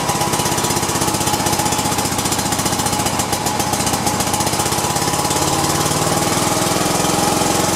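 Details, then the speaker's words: Cub Cadet i1050 zero-turn Kohler twin after carburetor cleaning, on auxiliary fuel with choke on: quick, fairly even firing beat with a rasp on top, holding speed steadily; runs, with lots of white smoke. "all right it's cranking at least we got it going so"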